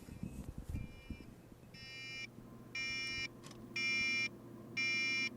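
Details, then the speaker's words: Tektronix AA501A distortion analyzer under repair, microphone at the meter; the continuity beeper shrills about once a second as merely touching the reed relay makes its contacts switch erratically. "going to touch the reed relay just touching the reed relay is enough to make it go crazy so unfortunately that is let me stop that that's annoying"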